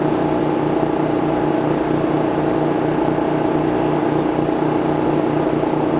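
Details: MXR3500 petrol inverter suitcase generator (3.5 kW class, parallel-capable) under load: steady mid-pitched drone, no misses or surges; revs ramp up following the power draw rather than jumping to maximum; normal running.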